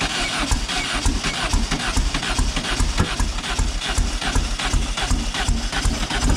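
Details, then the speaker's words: Silver Volkswagen car just fitted with new plug wires: steady cranking, a couple of beats a second, no cylinder catching; cause found to be plug wires installed in wrong firing order. "Nothing. I didn't even want to fire, did it?"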